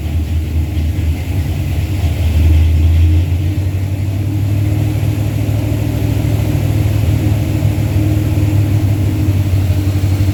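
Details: Truck with a 360 Mopar LA V8 and a Holley double-pumper carb, idle turned up, vacuum gauge attached: deep, lumpy rumble with slight surging at raised idle; won't idle below about 1,500 rpm. Vacuum leak or carb suspected, unconfirmed.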